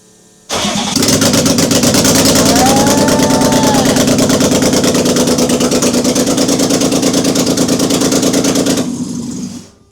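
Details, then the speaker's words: BMW E30, not started in six years, restarted after its first start following an engine swap and rewiring; short crank catches cleanly into a loud but even idle with steady firing beat, no misses; healthy restart. "Yes, we got it. Engine is running and it's running smooth."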